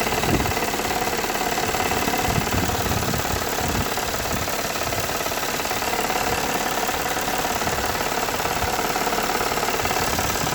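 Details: Toyota 3.3 V6, warm idle: steady knock about three or four a second from the intake manifold side after warm-up; owner unsure whether rod knock or intake manifold leak, not confirmed.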